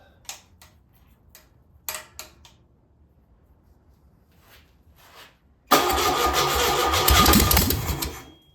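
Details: Single-port engine, first start on a known good carburetor: a few scattered clicks, then it fires at once into a strong, even run with no misses. It fired right up with no smoke or leaks, a good running engine.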